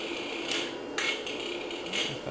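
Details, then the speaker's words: Toyota electronic throttle body on a test bench with its ECU: irregular sharp buzzy chatters about every half second as the throttle jitters, stuck in a fault mode. "what I found is that if there's a bit of a power surge a parasured uh you sometimes get it in fact it goes into a different mode where it just drives full so when it's operating correctly it won't go all the way up"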